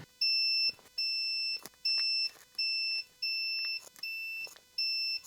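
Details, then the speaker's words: 1991 Sharp PC-6500 286 DOS laptop with dead screen, multimeter continuity test on the cable from the graphics processor to the display: seven clear high beeps, one per probe touch; every line has continuity, so the cable is good. "well nothing wrong with that cable"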